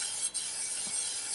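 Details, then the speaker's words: Shimano flat-mount road disc brake bike, brand new pads and discs, after re-centering caliper: steady thin scraping hiss as wheel spins, pads still lightly rubbing the disc due to tight pad-disc tolerances. "still got boned on there because the tolerances are so tight between the pad and the disc"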